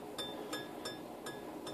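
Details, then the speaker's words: Scroll saw blade plucked like a guitar string after tightening, while setting up a wobbly bowl cut; five bright ringing pings, indicating correct blade tension. "I don't know if you guys can hear that, but I'm plucking it. It's kind of like a guitar string."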